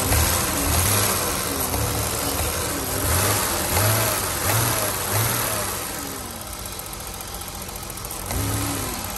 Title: 1988 BMW 735i (E32 E34) lifter tick engine idle (m30b35)